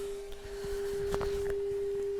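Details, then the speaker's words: Pioneer SX-1250 receiver after tuner servicing, FM tuner fed a 15 microvolt test signal: a clean, steady mid-pitched tone with a few light static pops behind it. Normal FM reception of a weak signal. "you can see right now I have a one a 15 microvolt signal going in here and you can hear it with static"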